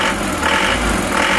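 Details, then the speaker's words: Bison diesel, same engine as Panther Turbo Euro 2, started after rough-running repairs: smoother than before but still a harsh, clattery idle with a hard metallic rattle; injection pump timing not yet right. "tapi ini untuk timing bos pomnya Masih belum pas ya suaranya masih ngelhat masih"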